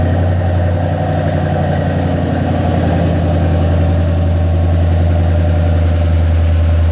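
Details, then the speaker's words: 2008 Ford Mustang GT after swapping ignition coil packs between cylinders to chase a misfire at higher rpm: steady, even low rumble with no stumble; all cylinders firing cleanly, engine running smoothly. "everything smoothed out engine is turned like a kitten no problems at all"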